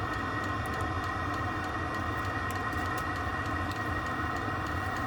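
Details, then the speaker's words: Diesel heater newly installed under a stacker race trailer, recorded outside near the unit: a steady burner roar and hum with faint light ticks from the fuel pump. The heater runs evenly and normally. "See that the fuel pump clicks a little bit. It's a little noisy, but really can't hear when it's running."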